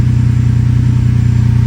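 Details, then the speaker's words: Ferrari 456 V12 after replacing fouled spark plugs with new gapped ones to fix random misfire: deep even idle hum with steady low throb, no skips; running smooth for now, coils suspected if misfire returns. "But at least for now, feels like it's running really smooth, no issues."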